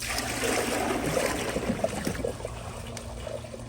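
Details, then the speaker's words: Glacier Bay PowerFlush toilet, bucket flush test: water poured into the bowl, even straight down the center, only splashes and trickles and never turns into a siphon gulp, so the flush fails. "so as all can see no matter how much water i pour into it it will not siphon"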